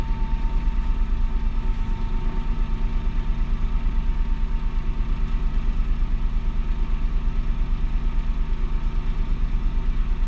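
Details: 2007 Citroen C1 petrol engine during a fuel sender replacement job: ticking over evenly at about three pulses a second, no misses or knocks; normal idle.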